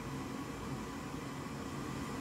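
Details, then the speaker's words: Goodman gas furnace with three-flash code indicating an air pressure fault: steady low inducer fan whir but no burner ignition; the vent air pressure switch (B13701-42) is failing. "so the flesh is telling me that there's something going on with the air pressure so I can hear the fan but it's not firing up"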